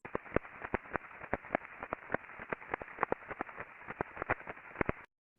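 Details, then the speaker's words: Combining roll conveyor bearing heard by airborne ultrasound: uneven clip-clop repetitive impacting, under two a second, over steady hiss, with raised crest factor; teardown found a loose cage and damaged rolling elements. "yeah it's like a clippy kop but uh repetitive impacting going on so once they actually took this apart um there was a lot of looseness in the cage and there was some definite damage on on a number of the Rolling elements"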